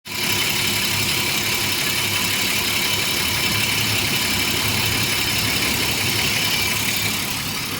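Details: BMW E34 with M50B25 engine at idle: fast, light, even ticking high above a steady idle, typical of noisy hydraulic lifters in the top end; hydraulic lifter tapping.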